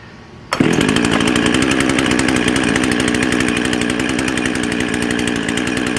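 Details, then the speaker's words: Husqvarna 55 chainsaw (Made in Sweden, 18-inch bar, 3/8 chain), no decompression valve, after a half-choke start: a high, steady, overrevved scream at roughly 13,500 rpm. RPM is too high, consistent with a lean intake air leak at the carburetor gasket. "hey oh sounds like she's running a little bit fast let's get attack on there ah [Music] [Applause] hmm so okay so the rpms are definitely too high"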